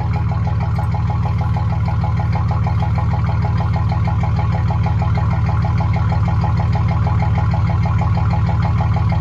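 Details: 2006 Chevy Silverado 1500 long bed after swapping stock welded muffler for a Quiet Flow muffler: low, even exhaust rumble, smooth pulsing, no rasp, hiss or rattle; tiny joint leak left, barely audible.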